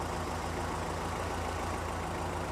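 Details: 1982 Toyota 22R with newly installed performance recurved distributor, timing set and Weber 32/36 carburetor adjusted; steady even low idle with no misses, knocks or hunting.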